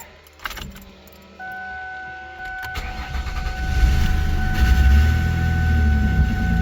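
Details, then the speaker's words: 1967 Mustang with a Ford front-wheel-drive body swap, cold start: cranks and catches quickly, then a low, slightly uneven idle with rattle underneath; exhaust rattle and rough running when first started. "Starts perfect. does got a exhaust rattle and it's a little rough running when you first start it."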